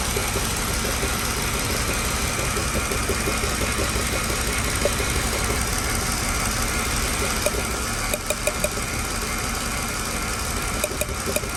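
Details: Mercedes-Benz W211 idling unevenly with a stumbling beat and irregular thumps from an engine misfire. The misfire returned 2.5 months after another workshop's repair, which included a new ECU.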